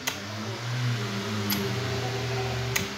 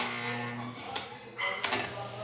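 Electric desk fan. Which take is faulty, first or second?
second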